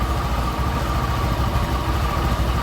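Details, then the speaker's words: Used automatic scooter with 76,000 km on the odometer, at idle. A low, uneven rumble with a coarse rattle and a faint whine comes from the CVT, and the rear wheel doesn't move. The idle is unstable, possibly from a dirty air filter: rough CVT noise. "kita coba cek kondisi mesinnya kalau untuk mesinnya normal ya ini terdengar bunyi kasar ini di bagian CVT ya"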